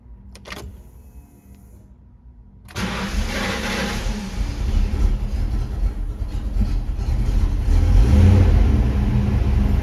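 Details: 1995 Ford Mustang GT, bought non-runner that stalled after 1–2 seconds, now lacking power; started with MAF disconnected: silence, then catches into a low, slightly uneven run firming up; owner suspects fuel filter, vacuum leak or fuel pump.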